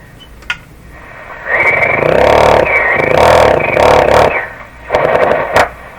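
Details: Philco 38-C7 tube radio on the broadcast band after grounding two ungrounded metal tube shells: hiss and crackle swell as the dial moves over a steady high whistle; spurious oscillation still present.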